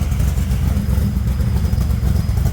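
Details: 1964 Dodge Dart gasser stroker V8 at cold idle (~40°F day), just after replacement rocker arms were fitted with lash at a loose 0.017 in cold. A heavy, lumpy rumble with only a faint valvetrain tick and little rattle is heard. Normal idle.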